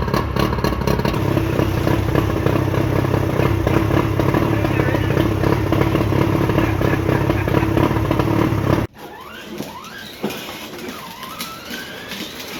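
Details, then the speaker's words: Johnson short shaft 40 hp outboard, about 1987, after repairs, restart test on water hose: two-stroke buzzes at slightly high but even idle about nine seconds, then shuts off cleanly with no misses. "This is one of the tests I like to do. Drop the keys out of it. That's smart of me. Prove it starts up without any issues."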